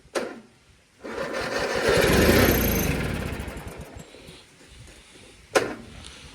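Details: 1997 MTD Yard Machines riding mower, tank had been empty and fuel lines, filter and carburetor dry, gas just added: the starter cranks in a fast, steady chug and never catches, with no fuel reaching the carburetor yet.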